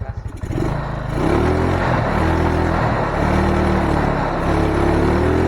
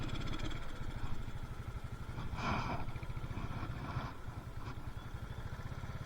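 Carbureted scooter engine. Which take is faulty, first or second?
second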